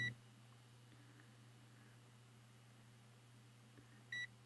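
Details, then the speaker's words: Tuning coil of a 1948 Echophone EC 600 battery farm radio, varnish gently scraped off both wire ends with emery cloth: two short, clean high beeps from the continuity tester over a low hum confirm continuity, so the coil is undamaged. "we got continuity. Okay, and that means that the coil is fine. We have no damage to the coil."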